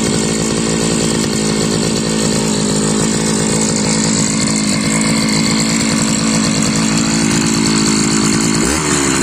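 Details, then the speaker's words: Modified Chinese brushcutter fitted with a 43 cc cylinder, keeping the old exhaust from the larger-displacement cylinder: crisp, steady high-revving two-stroke buzz at even pitch, no misses or rattles; sounds good so far, power still to be seen. "Nos, így szól ez a 43 köbcentis henger. A kipufogó maradt a régi, a nagyobb köbcentisé. Egyelőre jól szól, meglátjuk milyen ereje lesz."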